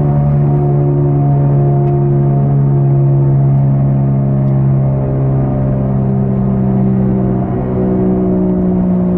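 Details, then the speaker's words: 2003 Saturn Ion driving at about 80 km/h (50 mph): steady low droning hum at an even pitch; a bad driver-side front wheel hub bearing, found by jacking up the car and spinning the wheel, before replacement. "so you can hear it in case you're wondering i always thought it was just some my tires were bad but here we go that's quite loud"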